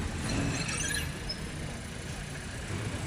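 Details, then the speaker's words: Audi braking while driving: short high-pitched squeaks over rolling car noise as the brakes go on, judged to come from between the brake pads and the brake disc. "Today I dealt with an abnormal brake noise. The vehicle made a squeaking sound when the brakes were applied while driving . The sound was very obvious indoors."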